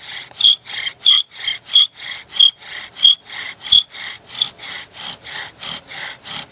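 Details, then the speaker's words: Bow drill fire set, first-timer after retightening string and speeding up: steady dry gritty rasping strokes about one and a half per second, no squeak; drill biting and notch filling with dust normally. "Now you can hear it starting to grind. That dust should be filling up pretty fast now."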